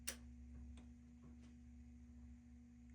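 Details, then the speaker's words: Clarion PT-975C stereo from a Mazda RX-7 on the bench, logic side powered with clock working but no current draw: a few sharp isolated clicks from the amp over quiet hum; EQ not getting power, possibly no ground; amplifier relay clicking. "getting I hear the amp clicking. The EQ is doing nothing. Okay. So, the EQ is not getting power."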